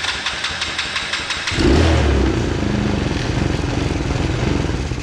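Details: Kids' 125cc Chinese ATV that takes a while to fire, carb mixture screw just set to four turns out: slow, even cranking chugs for about 1.5 seconds, then it catches and runs unevenly. Hard start, suspected fuel starvation, not confirmed.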